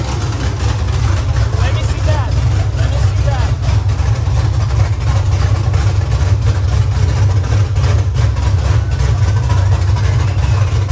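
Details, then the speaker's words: LS V8-swapped Nissan S14 first-ever start, no exhaust fitted; deep, loud, even rumble at steady idle with raw open-pipe bark, no misses or knocks: normal idle, no exhaust fitted. "imagine what it sounds like when it's drifting it's be so loud I don't want an exhaust on me no we have to put an exhaust on keep it like this it would sound so nice like this"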